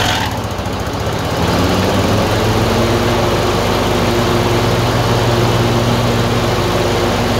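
Engine runs unevenly with irregular stumbles and a hunting speed over a steady low drone; surging with an intermittent misfire.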